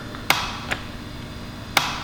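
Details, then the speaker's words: MG overdrive gearbox on a test rig with motor and belt: three sharp clicks as the overdrive solenoid lever engages in third and fourth gear, not in first or second; engaging properly. "but if we go into third you you can hear it move and nice big click okay we put it in fourth it works here it click"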